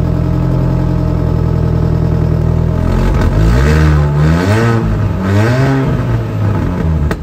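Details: Classic Mini, warmed up to operating temperature, revved: loud deep booming exhaust swelling with revs and rough blowing edge; exhaust leaking through holes drilled in pipe and catalytic converter, to be welded shut.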